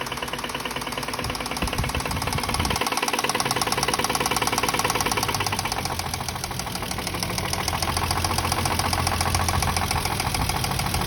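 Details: Toyota Mark II engine knocking: rapid knock near four beats a second riding over the idle throughout, changing slightly as revs drift; genuine engine knock, source unknown.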